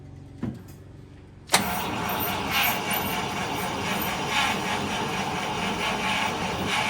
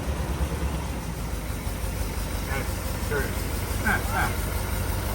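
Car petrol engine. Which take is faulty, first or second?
first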